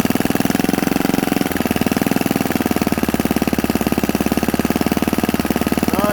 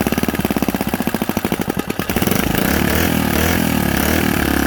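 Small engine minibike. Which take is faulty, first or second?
first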